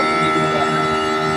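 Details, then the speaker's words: TCL 1.5 hp aircon outdoor unit, nearly 3 years old, with E0 error and outdoor unit shutting off, poor installation: loud rough buzzing hum full of whine tones, noisier than normal while still cooling; cause unclear. "Maingay siya. Hindi siya ng normal na ingay."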